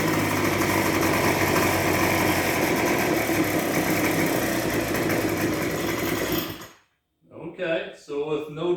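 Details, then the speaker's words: Discarded two-stroke backpack leaf blower, cold, run at about half choke after priming: buzzes at steady high revs for several seconds, then abruptly cuts out, a cold stall; owner goes back to a little choke. "it's stalled but it's cold so let's go back to a little bit of choke"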